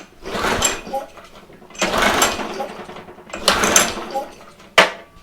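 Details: Free used pressure washer that only runs on choke, cover missing, choke position uncertain: three recoil pulls about 1.5 s apart, each a short rasping whirr, engine never fires; no start, carburetor fault.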